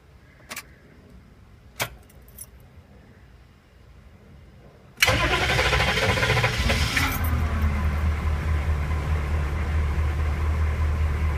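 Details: CUCV diesel truck just fitted with a new starter relay (NAPA 7018601) as a preventive fix against relay sticking, gives sharp clicks, then the starter catches promptly and it settles into a deep even idle: normal start.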